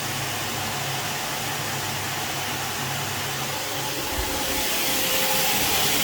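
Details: Alfa Romeo Spider idling, exhaust system removed, cleaned and resealed with RTV but needing a bit more: steady airy hiss with faint rhythmic puffing from a small exhaust leak at a joint.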